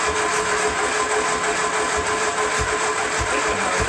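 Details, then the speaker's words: 1970 Triumph Spitfire, freshly rebuilt engine on a test stand, statically timed: the starter churns with uneven low thumps and half-catches but it never fires; suspected off ignition timing, too advanced or retarded. "It's trying, but it's acting more like the timing's off a little bit. Like it's a little too advanced or a little too retarded or something."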